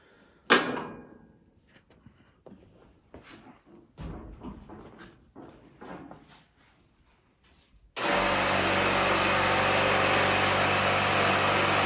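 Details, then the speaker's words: Cabinet air compressor feeding a laser engraver's air assist via regulator: a few knocks and handling sounds as the tank drains, then the compressor kicks in with a steady, even rushing drone refilling the tank; normal operation. "and just draining this air tank that's why you hear it go down the compressor is kicking in so that's going to come in real Handy for us when we're doing multiple projects"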